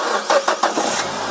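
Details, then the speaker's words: Nissan Evalia manual (2013/2014) used-car inspection, engine started: catches in a few quick bursts then settles into an even, smooth idle with no knocks, ticks or other foreign noises. Normal idle. "Ya ya kita cek juga potret kondisi bunyi seperti ini dalam kondisi halus Idul Adha Idul seperti ini enggak ada suara asing Seperti ketukan tuk tuk tuk atau suara apapun ini"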